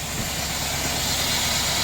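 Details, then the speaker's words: $500 LS V8 donor engine for a 1990 Chevrolet Silverado shop truck swap, cold start in 30s°F weather on booster pack before teardown: steady, even idle with heavy hiss, no knocks or misses; normal cold-start idle, runs well. "my LS motor runs cold start. It's really cold today, well, 30s. Sounds great."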